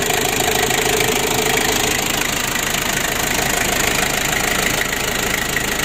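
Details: Ford Ranger diesel that was losing oil and wouldn't rev high, running after a temporary fix (an added 'rotax' to help diesel circulation to the injection; injection not yet repaired). Even, regular clatter with no stumbling or misfire; it runs normally.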